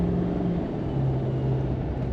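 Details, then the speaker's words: 2015 Chevy Silverado 2500HD LML Duramax diesel driven gently under light throttle after CP4 pump replacement, fuel filter change, fuel line flush and tank cleaning: smooth steady drone rising gently, no knocks or misses; runs normally under light acceleration. "I'm not getting in it all the way I'm just gonna be gentle with it"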